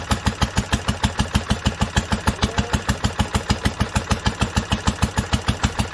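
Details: 1946 International Harvester LBB 3-5 hp water-cooled engine, first cold start after sitting covered a long time, started on the next pull after two choked turns; even, regular firing about three beats a second with crisp valve ticking, steady speed, healthy.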